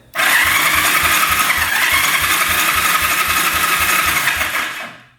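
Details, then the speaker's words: 1974 Yamaha TX500 after 27 years in a barn, compression test on the starter with throttle open, reading 70–75 psi despite two days of soaking rings in oil and solvents: light, quick even cranking about four beats a second; compression too low. "So, that's way too low. This thing would probably run pretty decent at 90, but 70 PSI is just way too low."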